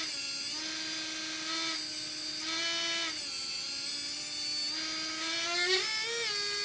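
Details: Readytosky 1804 quadcopter motor on a vibration test after calibration: a shrill whine climbs in steps with throttle, with a rough buzzy edge. Bad bearing, motor shaking; magnets reportedly come loose from vibration.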